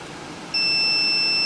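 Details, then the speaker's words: Yamaha Banshee no-spark diagnosis, multimeter continuity test of the orange coil wire to the CDI plug: a clean, steady high-pitched beep comes in and holds solid; continuity confirmed, so the coil feed wire is good. "got it beat that wire is good"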